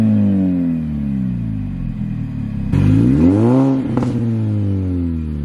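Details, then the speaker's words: R53 Mini Cooper S: steady idle, then a clean rev blip rising and falling smoothly with faint supercharger whine and exhaust, returning to an even idle; normal revving, sounds healthy. "i'll give you some start up on the rev off the car as well just so that you can hear like the engine and like the supercharger wine and the exhaust as well"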